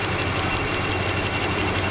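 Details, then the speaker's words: Stock single-point Chrysler ignition with carbon plug wires, screwdriver inserted in a pulled plug wire and held about 1/3 inch from ground: sharp, even snapping about six times a second over a steady idle; strong blue spark, ignition healthy. "Now, if you're dealing with a simple ignition system like this, you can hear that spark snapping."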